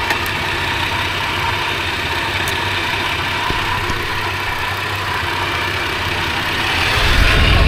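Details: 80 Series Toyota Land Cruiser, fully warm after half an hour running, oil pressure 15 psi at idle: steady, even idle without knocking or tapping, then smooth climb toward 3,000 rpm; healthy revving.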